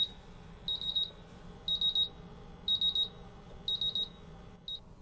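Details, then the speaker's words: MultiRAE gas detector, PID sensor bump tested with isobutylene gas: the sensor goes into high alarm quickly and high triple beeps repeat about once a second with vibration and flashing LEDs, so the sensor passes its bump test. "So I can see that the PID sensor is currently in high alarm. I can feel the vibration alarm, I can hear the buzzer, and I can see the LED lights flashing."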